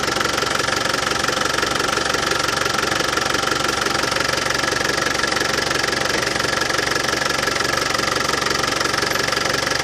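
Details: Land Rover Defender 200Tdi diesel at warm idle after new power steering pump fitted, while bleeding steering box: even clatter about three beats a second, no rattle; new pump cured it.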